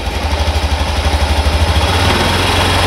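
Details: Honda Beat FI ESP scooter, likely 2019, with misfiring (brebet) and a weak battery, after electrical repair: engine pulses about three times a second, then throttle opens into a smooth even rev with no stumbling; charging voltage rising; running normally.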